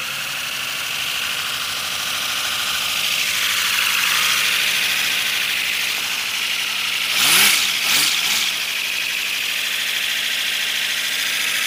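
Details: First-build 3D-printed PLA V12 model engine on compressed air, freshly lubricated, no exhaust port yet: steady rapid hiss of escaping air with quick even puffing that swells briefly as pressure rises; spinning freely.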